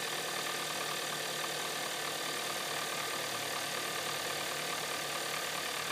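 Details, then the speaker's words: 2013 Hyundai Santa Fe petrol engine at idle has a faint, fairly regular knock of about three a second over a hissy background. The knock grows louder as it runs and is louder still when colder. "And there it goes. And, yep, it's getting louder. Really wonder if it's a diesel."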